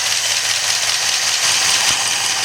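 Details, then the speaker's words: 1964 Studebaker Daytona after 25 years sitting, warming up, single exhaust with old Thrush muffler, 45 psi oil pressure: steady, even idle with hissy exhaust note, no knocks or ticks; healthy. "Sounds pretty good. It's only a single exhaust, has a old thrush muffler on it, so hopefully that'll clear up."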